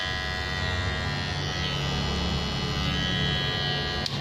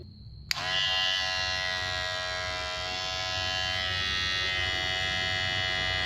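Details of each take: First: Kemei KM-2600 clipper after fitting a replacement blade set and oiling: hard steady high-pitched buzz with shrill edge, fairly loud; loud shrill sound usually means a poorly matched blade, though it cut sharply in testing. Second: Kemei hair clipper reassembled with blade oiled and greased: steady high-pitched buzz, even tone, no rattle or clatter; runs normally with blade seated correctly.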